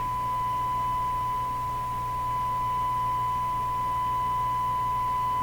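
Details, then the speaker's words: Stromberg Carlson Model 552 radio during RF alignment with signal generator at 600: clean steady tone near 1 kHz, getting quieter then louder while adjusting the trimmer that had come loose for maximum on the meter. "watching the meter now can hear it getting quieter here at getting louder"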